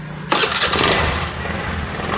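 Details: Honda Beat FI scooter whose starter only clicked, starter jumpered directly from the big battery cable: sudden strong fast cranking into a steady churn, no dragging or clicking; starter motor healthy; normal starter cranking.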